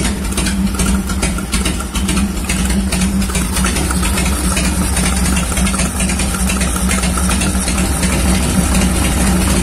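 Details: 1990 Harley-Davidson Fatboy Evo, tested after a carburetor clean and reinstall (previously would not start because fuel was not getting through the jets): steady, loping V-twin idle with even thumps and no misses. Normal idle.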